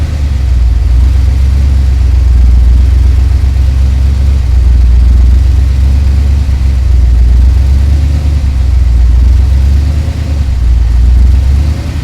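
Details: Ford Ranger rock crawler "The Mutt", first start with a brand new Magnaflow exhaust with a dump; deep, steady V6 rumble with throaty exhaust and a few revs, no knocks or misses; fires right up, runs good.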